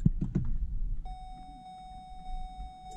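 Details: Hyundai Avante AD (typical of Hyundai cars): after dull thumps inside the car, a steady mid-pitched warning tone at engine shut-off, signaling a nearly dead smart key battery (CR2032); fixed by replacing the key battery.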